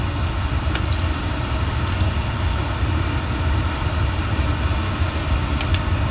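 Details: Boiler after a filter change, restarted after bleeding air by holding the reset 45 seconds: a steady low roar with no stumbling or cutting out, burner lit and holding a stable flame. Normal burner operation.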